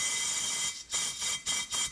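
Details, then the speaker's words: Buell Blast 500 that won't start and has low compression (15–30 psi), on a leak-down test: compressed air gives a sharp, steady hiss, then four short surges as air blows by the piston and the engine rotates. "So, here's some compressed air. See, you didn't hear it, but you can hear the air just hissing. Now it's gonna blow by."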